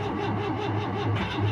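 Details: 1974 Citroën GS cold start at −10° after sitting about three weeks: catches straight away and settles into an even, steady run with no stumbling, a normal cold start.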